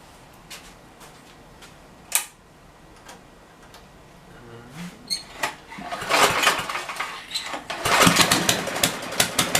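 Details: Tecumseh generator, believed 4000 W with 8 hp engine, long stored, after new feet were fitted: a few light clicks and pulls, then it catches and holds a steady, busy running note without surging; runs well and starts easier now.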